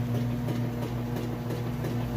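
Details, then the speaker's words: Whirlpool Super Capacity Plus top-load washer in the agitation phase of its cycle: a low, steady motor hum with soft rhythmic sloshing. It is agitating normally. "can hear it agitating real good."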